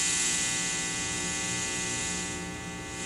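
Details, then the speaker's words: Bass guitar into Mitchell MB-200 / Fender Rumble amp: loud steady high-frequency hiss over low hum, worse when mixing in one pickup, changed by EQ, eases at lower volume; grounding checked fine, problem ultimately traced to the amp, exchanged. "when i start to mix in this one i get more hum and then the eq as well affects it and that high frequency hiss that's excessive over what the amp is producing by itself"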